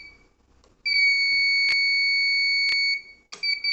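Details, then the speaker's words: Shelf Control ultrasonic-sensor sanitizer dispenser tunnel controller, holding button to enter distance-sensing mode before setting a longer sensing distance: steady shrill beep about two and a half seconds, then short chirps; normal buzzer alert. "until you hear a long beep. Once you hear the long beep, you can release your hand from the button. Now the device is in distance sensing mode."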